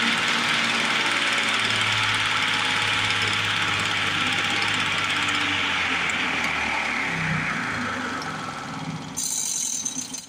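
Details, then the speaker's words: 1950s Lawn-Boy bricktop mower engine with low compression and freshly cleaned points: runs raggedly with uneven popping, then sags and fades out; owner suspects a stuck carburetor needle valve, and the choke keeps coming off. "I think our needle valve is stuck. We're gonna have to play with this carburetor a little bit."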